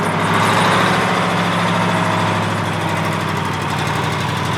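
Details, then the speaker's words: American 2380 20-ton military crane diesel, just started without starting fluid, running better than expected though smoking and leaking. Steady idle with an even beat and no obvious knocking; normal running. "I went way better than I expected paying over to smoking everything yeah you just don't know what's leaking"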